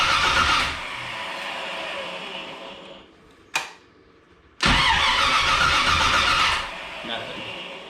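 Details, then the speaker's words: 1982 Chevrolet Camaro being reassembled, exhaust hooked up, timing being adjusted: starter spins engine in two long even runs but it never catches; distributor power wire was never connected, no ignition power. Crank, no start. "oh I never put the power wire to the distributor we weren't going to get very far like that"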